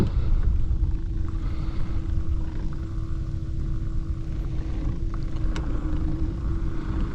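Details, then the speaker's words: 24V Lowrance Ghost trolling motor fitted with a grass cutter crown, on speed 5 (not high), pushing through thick stargrass; a steady hum over water that sags in pitch as the motor bogs down. "You can hear it bogging down. It's kind of thicker stuff right now, getting into some stargrass."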